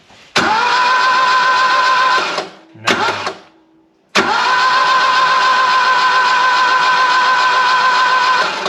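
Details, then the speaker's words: Barn-find Saab 99 with no spark, even with points cleaned and a direct live feed to the coil. Two long bursts of starter whine, turning over but never firing; the ignition coil is dead and gets replaced with one borrowed from a Transit. "Still nothing even with a direct life to the coil. So, time to take that off and try a different one."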